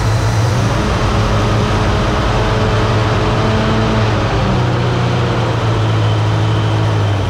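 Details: 1966 Ford Mustang 2+2 fastback with 82,000 miles, sitting for years, just started after replacing a leaky fuel pump. Runs on its own with a steady low drone and slight unevenness settling down: rough running clearing up.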